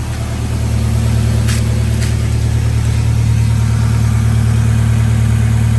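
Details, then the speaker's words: Toyota AE86 idling after installing a SARD x TecArts catalytic converter with fresh gaskets and retightened loose exhaust hardware that had caused leaks: a steady, even low idle with a smooth exhaust note and no puffing or ticking; no leaks. "No leaks at all. Everything's working really well. It looks like this one was a success."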